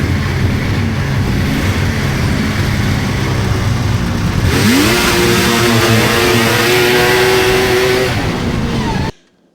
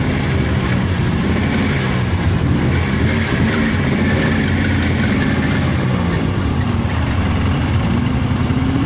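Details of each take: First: 1999 Polaris XCR 700 two-stroke snowmobile, jetted rich, clutch engaging below 4,000 rpm, after adjusting drive belt deflection; revs up and settles into a steady clutch hum at idle and pulling away; earlier belt squeal gone. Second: 1999 Polaris XCR 700 two-stroke triple snowmobile at idle with rebuilt water pump, new belt, new plugs and stock exhaust can: faint high squeal over idle; drive belt squeal because the belt rides too high with deflection too tight.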